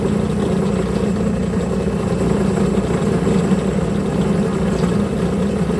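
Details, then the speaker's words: Homemade milling machine at 1900 rpm spindle speed, after reducing table play: steady loud low cutting drone with a rough, buzzy vibration. Cuts better, but still chattering from play in the setup. "it surely cuts much better but there's still too much play in the entire setup you can hear it shatter a lot"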